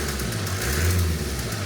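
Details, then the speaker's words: Mercedes E-Class OM654 diesel idling at startup: quick regular slapping knock resembling bottom end, top end or turbo knock, actually from a half-snapped V-belt, only three threads left, flailing around the engine bay. "The V-belt, half of it snapped off. As you can see, there's only three threads left. Yeah. And the rest of it is just slapping around engine bay."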